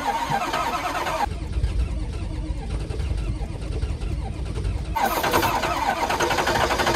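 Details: Ford Power Stroke diesel at 14°F, hair dryer warming intake, sixth try: starter cranks in bursts, engine trying to catch but never running; cold no-start, fuel gelling suspected.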